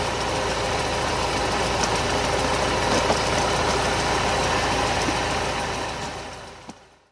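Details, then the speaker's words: Mercedes SLK R170 Kompressor after replacing the faulty K40 relay-box ECU relay (broken coil, no start) with the air-pump relay: engine starts and idles smoothly and evenly with no misses or knocks, then is shut off; healthy running. "Eli se oli vaan nyt rikkinäinen releen vetokäämi. Sitten katsotaan lähtikö käynti. Sehän lähti."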